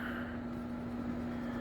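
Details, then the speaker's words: Good skate bearing, tested alone off the wheel after winter skating, spins with a soft steady hum: smooth, no noise, very little vibration; its pair-mate had a ticking burr felt through the skate. "Nice and smooth. No noise. Very little vibration."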